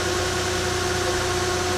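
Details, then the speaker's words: 2005-2011 Nissan Frontier/Pathfinder engine just installed, first fire-up: steady, even idle with a smooth low hum, no misses or knocks, and a brief blip at the end; no shaking, runs fine. "All right, everything is complete. Let's fire it up to see how it sounds. Sounds good, isn't it?"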